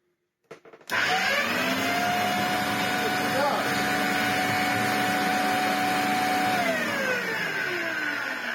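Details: Rusty Electrolux Z504 twin-turbo vacuum cleaner, first test run after purchase: the motor spins up quickly to a steady high whine, holds an even pitch, then winds down. The motor runs.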